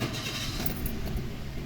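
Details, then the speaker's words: Toyota Avanza that started then stalled, after injector-area repair: low steady idle hum holds even, no dipping or stumbling; normal idle. "Tingnan natin kung babagsak. Hindi. Tapos drive. Wala, hindi rin bumagsak."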